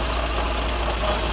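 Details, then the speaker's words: John Deere 2040 tractor diesel idling with a steady, busy rattle over the low chug, before repair; bad water pump bearing, visible as shaft wiggle, pump to be rebuilt. "farm working on a John Deere 2040 tractor it's got a bad water pump bearing so you can see by that wiggle right there and we're gonna fix it"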